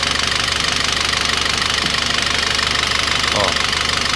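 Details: Citroën C4 2.0 engine noise at idle; suspected low oil pressure, oil pump or lifters; quick light ticking about two per second over idle.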